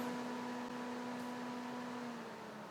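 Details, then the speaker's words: BMW 320d electric cooling fan run via the ThinkDiag phone OBD scan tool actuation test, loud enough to sound like taking off: steady, even hum at one pitch, no wobble or rattle. Fan works normally. "And on the actuation test, we've only got electric fan. And I'll be honest, I think that's all we've got on the professional diagnostic tools as well. But if we put that on, activate, Yes. You might be able to hear that. Sounds like we're taking off."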